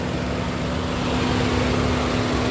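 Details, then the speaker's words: 2012 Nissan March 1.2 automatic petrol car, engine bay heard at idle: steady, even, smooth hum with no knocks or ticks and no rise or dip; normal idle. "untuk apron-apron depannya, ini mesin masih nyala ya teman-teman nih, tapi suaranya halus."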